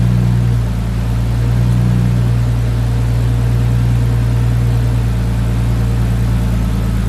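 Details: Nissan R33 Skyline after fixing idle that was hunting and nearly stalling: steady, even engine drone holding smoothly with no surging or hunting; revving much nicer and running healthy.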